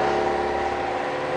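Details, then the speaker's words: 1995 Jeep Wrangler YJ at 28 degrees, started cold after ECM capacitor repair (crank-no-start in cold weather, ECM capacitors blamed): steady, even fast high idle, smooth hum, no knocks or misses; normal cold high idle, problem solved. "started up shows zero degrees so far it's high idle right now it's cold weather"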